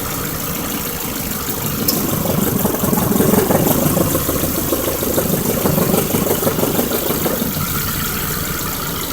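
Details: 2003 Ford Focus ZTW idling: a loose, uneven knock about three times a second over the idle. Rod knock is suspected but not confirmed.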